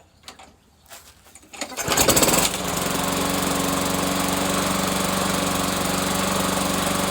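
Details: Briggs & Stratton Yard Machine lawn mower left outdoors uncovered for months, suspected water in gas; after draining fuel, fresh fuel and starter fluid sprayed into the intake, a few cranking bursts then it catches and settles into a steady, even drone; running normally.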